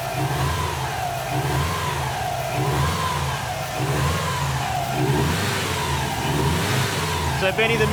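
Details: Subaru with freshly rebuilt STI EJ20 short block, first start and run after install, not yet up to temperature: smooth idle with repeated clean throttle blips, revs rising and falling evenly, no knock, tick or misfire; normal running.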